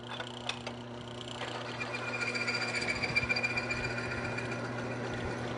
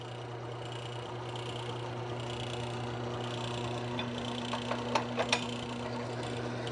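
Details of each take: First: Lubrication test rig running base oil with about 3 to 5% Power Up additive: steady even whir with soft fast ticking, no harsh grinding, much quieter; quiet, well-lubricated running. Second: Lubrication test rig after removing the contaminant and drying the surface: steady motor hum, then growing scraping and a thin high squeal; metal-on-metal contact friction until the bearing seizes.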